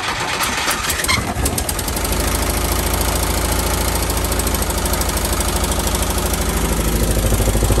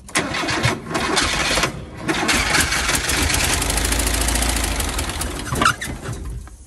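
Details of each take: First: Bus parked at least 20 years, revived after turning by hand with plugs out: cranks briefly, catches and settles into a steady, even run that rises slightly before shutting off; engine runs fine, only needs brakes. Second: Little bus just revived after a vacuum line was reattached: engine cranks and catches, then runs rough with a ragged, uneven idle; low oil pressure light flashing, long-stored motor running rough.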